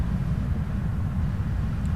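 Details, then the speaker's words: Hydro MPC booster system during startup-wizard rotation check, pump 1 started individually after priming and tank pre-charge to 70% of set point: steady, even low hum with no knocks, rattles or squeal; pump running normally. "So I'm going to hit OK. You can actually hear the pump on."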